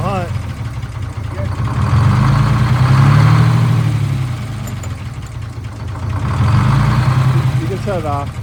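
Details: Detroit Diesel 6-71: a steady diesel idle that swells and sags about every three seconds. Slight idle hunting, otherwise mechanically sound.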